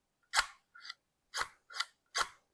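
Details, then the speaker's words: Hand hedge shears that were sharpened once without success: five crisp metallic snips, each a short scrape ending in a late click, as the blades meet only at the tip; top blade has a kink and bottom blade needs more curve. "And that is that it's only making contact at the very end. Whereas this one makes contact all the way along the cutting edge."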